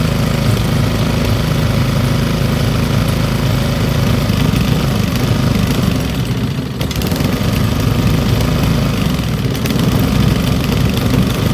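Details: Old Briggs & Stratton single-cylinder petrol engine rescued from the trash, idle raised back up, now warm, almost too hot to touch in places; steady even putter with no misses or knocks before being shut off via kill wire — normal running.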